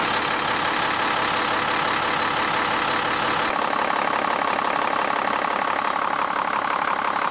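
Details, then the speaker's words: 2001 Cummins 8.3L ISC diesel in an American Coach RV, just restarted after a spin-on fuel filter change and a pump re-prime: a brief hiccup at start from air in the system, then a steady, even idle with no misses or knocks. "fired it right up. Little bit of a hiccup when it first started, totally normal. System's full of air for that, and it's running great."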